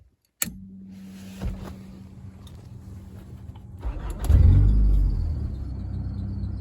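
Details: 1994 Honda Accord F22B2 with newly wired push-button start and a replaced fuel regulator: short crank, then it catches at once and settles into an even, steady idle; normal start.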